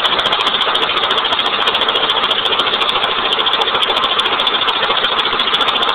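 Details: 1989 Honda Accord with blown engine after dying on the road: rough, loud idle with harsh uneven clatter pulsing about twice a second; engine knocking at idle.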